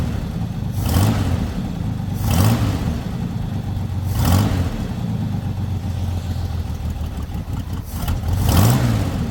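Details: Lowrider V8 after the dipstick oil leak repair, now no longer leaking from the dipstick: deep, even rumble settling into a steady idle with a few gentle swells and no stumble. It reaches idle faster than before. Normal idle.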